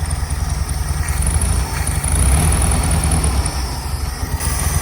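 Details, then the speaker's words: Air-cooled VW Bug on choke after flipped spark plug wires were corrected: low loping idle with steady chuff under a faint high whine, holds without dying; running well enough, owner unsure whether the carburettor still needs removal. "We all make mistakes and it runs now. So we're gonna see if we can keep it running and if I actually do need to pull the carburetor off. Running well enough right now."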